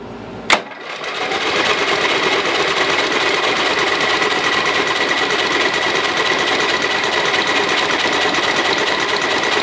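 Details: Lowe's 1442 mower, 14 hp engine, carburetor reattached, plug in, both chokes on, spark confirmed: a click, then steady fast chugging cranking that never catches. Fluid comes out.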